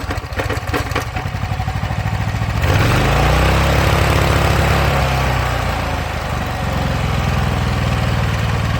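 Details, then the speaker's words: Honda commercial pressure washer that sat in a shed for years, started with the water on after the coil air gap was checked. It fires after a few pulls and settles into a steady, even run with no misses or surging. "well there we go I'd call that a win"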